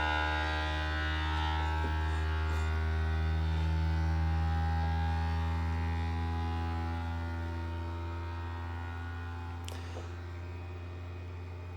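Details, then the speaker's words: Creality Ender 3 V3 CoreXY 3D printer, new out of box, during its vibration/resonance test sweep: steady low droning hum with stacked tones for several seconds, a nasty vibrational mode that is probably fine. "there we go sounds like it's got a pretty nasty uh vibrational mode right there but probably be fine"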